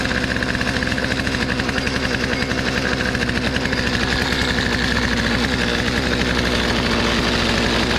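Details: Free Poulan 2450 chainsaw, 2.3 cu in, 18" bar, reassembled after sitting two weeks, with new hardware installed. A steady, even two-stroke buzz holds throughout with no stumbling or dying. Brought back to life; normal idle.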